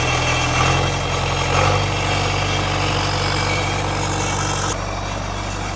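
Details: Irrigation pivot diesel engine idling very loud because exhaust goes straight out the turbo with no muffler; even steady low throb with no miss or knock; normal idle.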